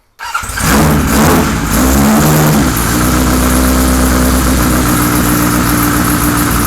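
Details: 1978 Kawasaki Z1-R four-cylinder with freshly installed carbs, no choke: starts and runs loud and lumpy with an uneven stumbling idle; almost no intake vacuum on the carb tune gauge.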